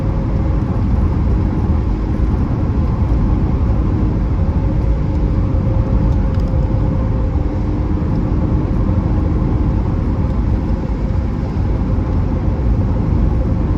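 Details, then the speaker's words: 1982 BMW E21 320 two-door, straight-six with 3-speed automatic, very low mileage, over 40 years old, accelerating on the road: smooth, even six-cylinder drone with deep rumble and road noise, no knocks or ticks; healthy engine pulling cleanly. "You can actually hear that sort of the beautifully sonorous straight six making a nice sound in front of you."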